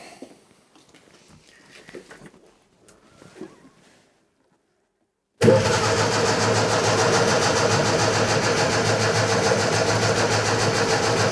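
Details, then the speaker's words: Scrapyard Fiat 600, fuel poured down the carburettor from a jar: steady fast starter churning about three and a half turns a second that never catches; owner suspects wetted plugs, and one plug later proves wet. "okay perhaps we've got wet plugs let's get a plug out and see if we've wetted the plugs up we could quite easily have wetted the plugs up now in which case it ain't gonna fire is it"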